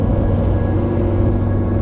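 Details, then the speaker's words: Turbocharged engine after an oil cooler was fitted, with an earlier low oil pressure problem and owner fearing engine damage; on the road at full boost (9 to 11 psi max), a steady even drone with no turbo whistle or clatter; turbo sounds healthy. "No sound at all. It's silent. 11 psi is pretty much my max boost. And I can't hear anything. No whistle. No clattering. Nothing."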